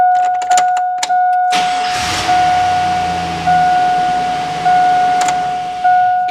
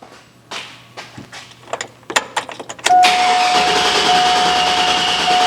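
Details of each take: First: GM Silverado with an intermittent crank no-start after sitting, just after camshaft position sensor replacement: brief crank, catches promptly and settles to a steady idle with the door chime pinging; healthy start. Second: GM Silverado (99-07 4.8/5.3/6.0 V8 family) intermittent crank no-start after sitting, starts on second key cycle: uneven starter bursts that won't catch, then fires and idles with chime; camshaft position sensor suspected.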